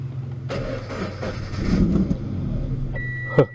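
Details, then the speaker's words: Salvage Scion FR-S, first start attempt with small fuel added, gauge still empty: long uneven cranking, engine half catching and stumbling before dying; hard start, likely fuel-starved, then runs. "It started up a little bit more than it did before. Let's see. Let's try again. Oh, it wants to."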